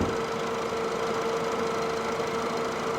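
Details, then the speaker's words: Auction-bought former pizza delivery car at idle, hood open: smooth steady mid-pitched hum, with the earlier ticking and belt squeal now gone; engine runs healthy. "I can't believe it, but it's quiet as can be. I can't believe it's not ticking anymore. I don't hear the belt squealing anymore either."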